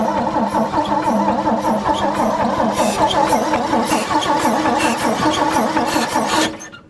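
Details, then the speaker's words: 1963 Chevy C10, sitting for years, cranked on a jump box: the starter churns about six seconds without catching or firing. No fuel is reaching the engine; the owner suspects there is too little fuel in the tank. "hold on go ahead and crank it again nothing [Music] yeah it's not getting fuel"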